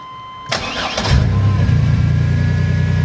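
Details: Chevy Astro just after a throttle body replacement. Brief crank, then the engine catches quickly and settles into a smooth, steady low idle with no stumble or stall; check engine light cleared.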